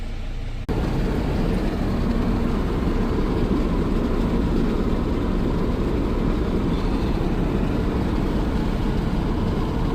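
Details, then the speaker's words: Dodge/Mercedes Sprinter diesel van on road test after a repair for being gutless: deep, even diesel drone under steady load with road rumble, no whistle, surging or flutter; no check engine lights, strong on hills, boost and wastegate values as expected. "No check engine lights. We got great performance on hills, flats. I'm seeing the expected values."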